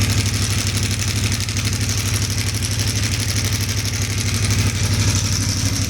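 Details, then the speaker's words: CFMoto 450 MT at 4,767 km, after self-repair of a failed cam chain tensioner: even, regular exhaust beat at settled idle, no rattle or clatter; far smoother than before repair. "Sekarang suara knalpot sudah terdengar lagi, Teman-teman. Beda jauh sekali kan, Teman-teman, dengan sebelum direkondisi, sebelum diperbaiki."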